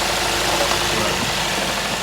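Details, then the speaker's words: Toyota GLI at idle after tappet setting and catalytic converter wash: an even, steady idle hum with no tapping or misfire. Normal idle. "Sound भी मजेदार हो गया गाड़ी"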